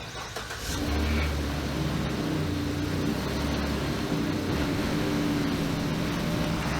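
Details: Car with battery dead after lights were left on, jump-started with a T8 Apex jump starter: brief crank, then the engine catches at once and settles into a steady, even run with no misses; healthy start.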